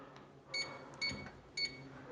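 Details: Mini digital drop-box safe on 4 AA batteries, entering the code on the keypad: three short, high, clean beeps about half a second apart, one per firm key press, working normally.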